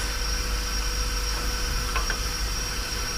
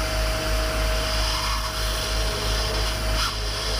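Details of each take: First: 30ft powder tanker being unloaded with the compressor running: a steady airy hiss under the truck noise as air leaks past the discharge valve seal when it shouldn't; air leak at discharge valve. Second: number three you just hear there's nothing but air going down that's fine that's empty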